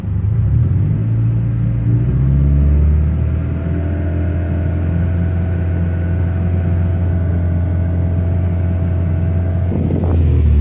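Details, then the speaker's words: 1999 Honda Civic Si EM1 B16A2, new O2 sensor, plugs and wires, flashing check engine light: uneven, lumpy idle smoothing on a throttle blip; misfires in cylinders 1-4 at idle. "I'm getting a misfire in 1, 2, 3, and cylinder 4. But it turns off when I give it gas."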